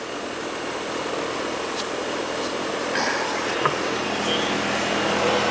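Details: Trane AC that was not cooling, after replacing a bad capacitor: even whooshing hum that builds smoothly as the condenser spins up, with a few faint ticks. Normal condenser running.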